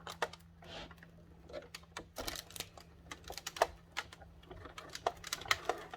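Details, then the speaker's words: Die-cutting machine winding fabric sandwiched between plates over applique dies: irregular sharp crackling snaps over a quiet low hum, showing the dies are cutting the shapes cleanly; normal die cutting crackle. "You can hear it crackling, which means it's cutting."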